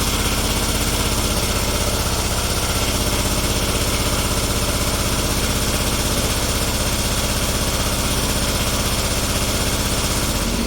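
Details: Kubota G4200 garden tractor, first start after restoration with rebuilt and bled fuel system: even steady thump about four beats a second with smooth low drone, no knocks or misses; healthy idle.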